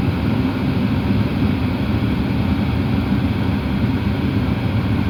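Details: Porsche Cayenne climate control after servo motor replacement to fix a dash noise: steady, even airflow and low rumble with no clicking, ticking or knocking from the dash; normal, quiet operation, repair complete.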